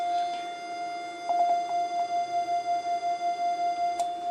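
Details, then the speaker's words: Homebrew 80m/40m SSB/CW receiver: its 700 Hz CW tone pulses about five times a second, about 5 Hz off, which is accepted as it keeps the signal centred in the filter passband. "that air this is slight beat frequency there so we're not exactly on 700 Hertz but um we're pretty close"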